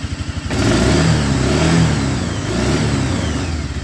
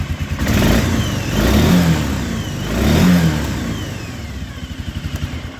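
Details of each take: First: 1996 Arctic Cat Bearcat 454 ATV: the engine revs, then falters and surges instead of holding speed; the ignition cuts out through a faulty brake switch circuit, and looping the unplugged switch connector fixes the revving. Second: 1996 Arctic Cat Bearcat 454 ATV that cut out, after unplugging the brake switch and looping its connector: engine picks up cleanly on two throttle blips and settles smoothly to steady idle; running properly, faulty brake switch blamed.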